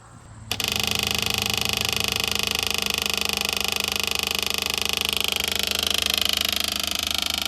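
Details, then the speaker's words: 1968 Chevelle with a swapped-in small block V8, using an electric fuel pump to pull fuel from the tank up to the mechanical pump. Hard, fast, even buzzing tick that never loads up; pump running dry, and it failed to prime. "These are really built to push fuel, not pull fuel, but this has worked before. It could be a while."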